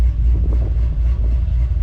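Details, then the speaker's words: Low Country OBS truck after spark plug wire replacement: smooth, steady low idle with no stumble; scan tool shows 3,700 total misfire history counts (cylinder 5, which follows 6 in firing order, had been misfiring) but current misfires 0 on every cylinder; normal idle. "But you can see we had 3,700 counts of a misfire, but current is 0 on every hole, so we're good."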